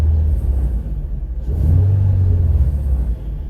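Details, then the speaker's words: Infiniti G35 coupe with newly installed polyurethane transmission mount and test pipes, revved from inside the cabin after a drive: deep booming drone and vibration, louder than with the stock mount; expected, owner not worried. "So you can definitely feel that vibration and hear it. But again, I'm not overly worried about it. I know what the reasoning behind it is."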